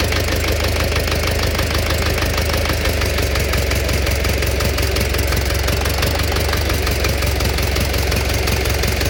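Steady idle carries a sharp, regular tapping at roughly three beats a second over the engine note, a knock inside the engine. Cause suspected, not confirmed.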